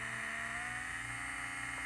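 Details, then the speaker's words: Vintage 1978 Shinsei Fire Fox (Lamborghini Cheetah) RC car, revived after long dormancy, with digital proportional control: a thin, smooth electric motor whine rises in pitch as the lever is pushed farther. Normal proportional speed control. "But right now, if I give it right, it's digital proportional too, so you can hear the pitch change as I move the lever farther."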